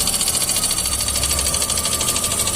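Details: VW Gol G6 lacking power, with the noise starting along with a tanquinho and persisting after new spark plugs: rapid, even tapping from the top of the engine over a rough idle; mechanic suspects a broken rocker or lifter.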